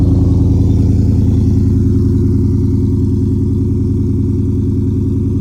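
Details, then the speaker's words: Audi EA824 4.0 TFSI after a DIY install of 310SS turbo manifolds, cold start with smoke and an oil smell, losing lots of power: deep, lumpy pulsing at about three beats a second, steady but uneven and harsh; runs rough on a cold start. "sound. More rough, more aggressive. [Music] This is a cold start."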